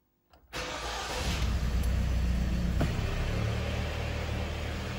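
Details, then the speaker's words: Hyundai ix35 with G4KD engine, 124,000 km, after repairing a loud knock from scuffing caused by winter Webasto warm-ups: the engine catches cleanly and idles evenly with no extraneous noises or knock; normal idle. "так мотор работает ровно здесь посторонних шумов"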